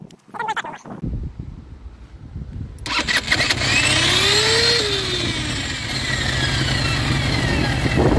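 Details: Baotian BT125T-2 125cc scooter, first runs after cleaned 24mm carburetor, new ignition, GY6 50cc CDI: catches after a few seconds, swells and falls once, whirring, catching engagement sound. Owner suspects starter clutch; noise lessens with more running.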